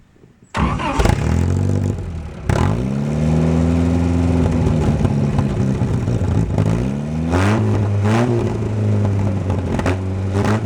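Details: 1949 Willys F134 four-cylinder, rigged 12-volt starter, long unrun, on choke: cranks, catches and settles to steady even idle with clean revs, no knocks or misses, slight smoke possibly from hung-up rings; normal running.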